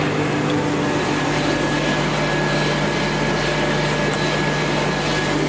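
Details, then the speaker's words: 1V340 lathe after swapping NC31 control for West Labs WL4T with KEMTOK drives: motor spun up with added revs, steady even hum with constant whine, no knocks or grinding; main drive runs smoothly. "Давайте немножко покрутим наш мотор. Давайте дадим ему немножко оборотов."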